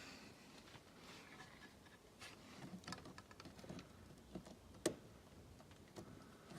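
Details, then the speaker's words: 1992 Range Rover LSE V8, ignition on, compressor relay pins 30 and 87 jumped under the hood: only faint valve block clicks, no motor hum; air suspension compressor itself does not start, something wrong with it, power at compressor to be checked next. "I had the valve block click but actually the air compressor itself did not start so that pretty much means that there's something really wrong with the air compressor"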